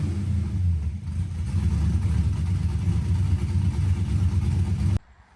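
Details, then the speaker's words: LS-swapped Mustang drift car with newly finished welded exhaust and turndowns, possible V-band clamp leak: deep, even V8 rumble rising cleanly with revs, no ticking or leak puffing, then shut off. Sounds healthy. "I certainly think this thing sounds amazing. I hope you guys agree."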